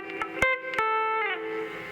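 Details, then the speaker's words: Peavey Studio Pro 112 guitar amp after repair and cleaning (it previously had almost no volume and non-working knobs): plucked guitar notes ring clean with good sustain and no crackle, hum or distortion, so the amp works properly. "Yeah, it sounds pretty dang good, actually. I dig it."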